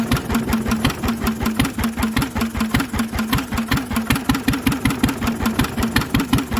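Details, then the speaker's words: Lister engine on its first start in 40 years, on a little choke while the fuel needle is balanced: even single-cylinder beat about 160 a minute with an annoyingly noisy exhaust bark and no big-end knock; mechanically it sounds lovely. "but as you can hear she's got no big end knock mechanically she sounds lovely"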